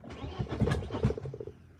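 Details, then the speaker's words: BMW E36 M42 on new Microsquirt standalone ECU, unrun for about six weeks: short burst of slow, pulsing cranking that fades without catching; cranks but won't start, cause unknown, fuses to be checked. "It is not starting. Let's try something. Check the fuses."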